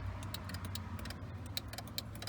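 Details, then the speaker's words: 2005 Mercedes G500 G-wagon power headrest: sharp relay clicks each time the button is pressed, but the headrest doesn't move and there's no motor hum. Owner suspects a stuck, rarely used headrest unit needing lubrication, or a stuck motor from carbon dust or a bad connection. "can hear the relay clicking and wrist isn't moving so either this headrest unit itself is stuck it needs lubrication or the motor is just stuck"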